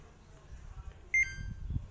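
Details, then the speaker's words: Samsung top-load washer with the pressure switch connected but the PCB still faulty; two short, high electronic beeps about a second apart as it shows the IE/OE water level error. Washer water level error alarm. "everything is connected the pressure switch is connected but you can still hear that beeping sound uh the pc board is still making that same error i e o e"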